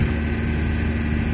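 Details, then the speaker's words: Camper van road test after wheel bearings failed soon after garage replacement: steady, even engine drone while driving slowly, with no metallic grinding or scraping from the bearings. "bon bien sûr on a un bruit de moteur ça on va pas se le cacher il fait du bruit il y a pas de bruit de métal comme tu as pu la voir"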